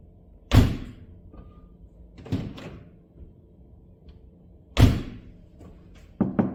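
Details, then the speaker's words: Mercedes EQS 450 (W297), before door sound deadening: two door closes give a thin, tinny, light ring, and quick taps on the door sound like an empty steel panel, from insufficient sound deadening. "확실히 문을 닫을 때 텅텅빈 소리와 도어를 두드렸을 때 빈철판 소리가 나는 걸 들으셨죠?"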